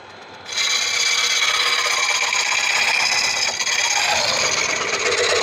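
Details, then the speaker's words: Woodturning a Tigerwood bowl blank about 15-16 in across and over 5 in deep: harsh steady rasping scrape with dull ringing vibration as the coring tool chatters under heavy pressure, arm very hot; cutting chatter and vibration. "hot I do not like that sound I don't like that sound one bit"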